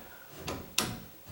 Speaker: I can tell the edge of this door is rubbing on the side of that door. Just a little bit.